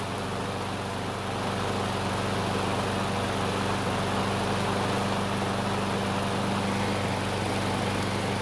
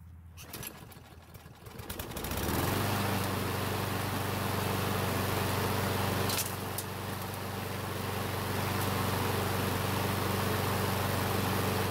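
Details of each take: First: Craftsman mower that stalled when hot, after carburetor replacement, running about three minutes on a hot day with thermostat bypassing the choke: steady, even small-engine drone at constant speed, no misses or surging; normal running. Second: Craftsman mower, stops when hot, would not restart, smokes: small single-cylinder catches and runs fast, fairly steady about 240 a minute only with fuel poured into the carb throat; fuel starvation.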